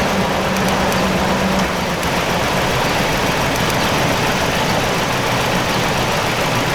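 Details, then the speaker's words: Chevy/GMC truck or Suburban (2000–2006) with a P0300 misfire caused by a coil problem, two cylinders down during a spark test: loud, lumpy, uneven idle that shakes heavily instead of humming smoothly. "it was shaking because the engine's shaking like crazy because but it because it's uh you know it's down two cylinders"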